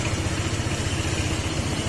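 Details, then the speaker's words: Honda PCX160 scooter with about 7,000 km, idling: fast, rhythmic low clatter from the CVT that sounds like a rod knock; strong vibration persists even at 80 km/h. "issue ni ano yan isue ni pcx yan yung ganyang tunog Tapos ang lakas ng vibration kahit na tumatakbo na ng ano ng 80 yan 80 km"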